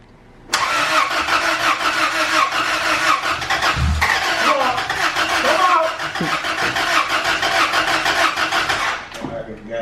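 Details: Engine after new cylinder-head valves installed, first start attempts, timing checked fine: steady starter cranking about three turns a second for ten seconds without catching; no-start traced to valve clearances set too tight, then readjusted.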